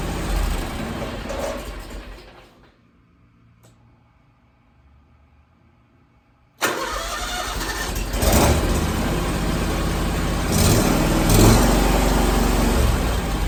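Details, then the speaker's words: Kawasaki-engined zero-turn mower restarted hot after half an hour of running and 15 minutes of sitting; cranks, catches at once and runs steadily, with none of the earlier solenoid chatter suspected to cause the hot no-start. "seems pretty good um i i really think that was the issue especially because i could hear that solenoid chattering"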